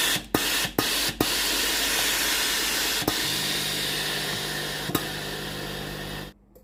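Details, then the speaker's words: Tefal GV9565E0/23 steam iron after repair of no-steam fault (board, triac, water solenoid valve, fitting, resistor replaced): steady hissing rush of steam with solenoid valve clicks and low pump hum; steaming normally. "เช็คระบบไอน้ำไอน้ำออกปกติมีเสียงโซโลนอยวาล์วน้ำทำงานปกติ"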